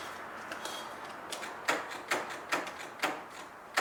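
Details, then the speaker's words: Kubota riding lawnmower that stopped working suddenly and sat for years, weak battery not yet charged: sharp single clicks, about six in four seconds, no cranking; solenoid clicks but engine doesn't crank, starter suspected faulty. "I hear the solenoid and I hear something. Wonder if I tap it with a little hammer, the starter will come back. Well, I think that's the first problem we need to tackle, is the starter."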